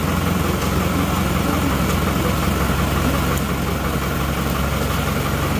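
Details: Isuzu Panther diesel after an engine overhaul, fixing white exhaust smoke, cold start: steady, even idle with a deep, smooth rumble and no knocks or misses; smoke now black with slight blue, not white; healthy.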